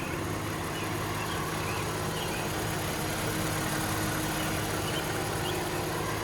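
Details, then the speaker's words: 2012 Lexus RX 350 with the 2GR-FE V6 at 148K miles, regularly oil-changed: smooth, even idle with a steady low hum and no knocks, ticks or misses; the engine sounds healthy. "as you can see the engine works like a beast there's nothing wrong with it"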